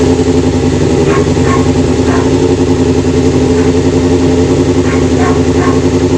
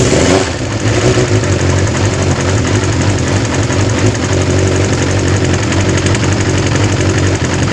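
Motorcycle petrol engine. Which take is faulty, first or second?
first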